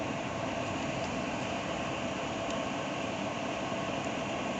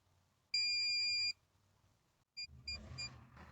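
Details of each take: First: Maxx Air fan after electric motor and circuit board replacement, bench tested at 100 percent speed: smooth, even airy rush with no knocks, rattles or wavering pitch; running properly. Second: MaxxAir roof vent fan run above ten percent: it shuts itself off, then a long high beep of nearly a second and three short quick beeps, a faulty motor and circuit board, both replaced later.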